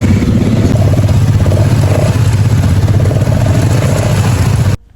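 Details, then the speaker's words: Honda Supra X 125 injection (FI) motorcycle at idle after service and oil change with Federal Racing oil; owner had complained of noise when hot and sluggish pull. Steady soft low thump, no ticking or rattle; engine now quiet like new. "Nah ini dia kita lakukan tesnya lah suara motornya udah adem kembali kayak motor baru ya guys Nih dengerin"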